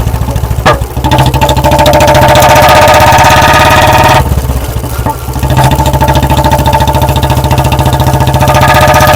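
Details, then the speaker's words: Warmed-up Royal Enfield Bullet 350 BS4 ridden on the road. A single-cylinder thump with sharp exhaust backfire cracks when the throttle shuts, produced deliberately by carburetor setting. The owner warns this damages the carburetor. "Back fire कैसे छठ रहे हैं तो ऐसे ही setting कर लेना अपने back fire के जैसी भाई को कर रहे हो ठीक है वैसे भाई इसके नुकसान भेजो मैंने बताया कार्बोरेटर खराब होता है"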